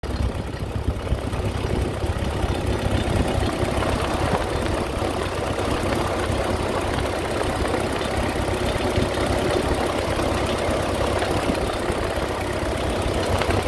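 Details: Ford 8N tractor engine idling steadily with a busy rapid clatter over low exhaust thump; cause of the strange noise unidentified.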